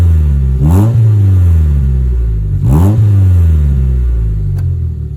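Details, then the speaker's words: Mazda 3 after new spark plug install (old plugs found dripping oil) plus intake mod, no engine light; two clean throttle blips, revs rise and fall smoothly to a steady idle with audible intake sound; healthy revving. "sounds good I like the sound of it"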